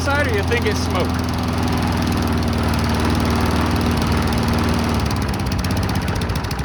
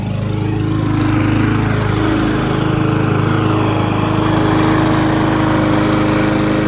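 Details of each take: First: Cheap abandoned Briggs & Stratton walk-behind mower, started in the cold with the trigger taped down: single-cylinder drone that wavers and stumbles; black stuff drips from the muffler, owner suspects junk in the carburetor; rough running. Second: Abandoned Briggs & Stratton lawn mower, unrun at least six years, outside after about 10 minutes running and a cleanup: steady, even small-engine drone with smooth firing, no misses or knocks, running a little smoother. Normal running.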